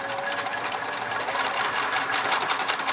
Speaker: Push it over again. And let's see if the motor runs. It does! Hooray!